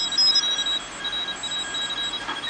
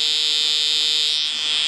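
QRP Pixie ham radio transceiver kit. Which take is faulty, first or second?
second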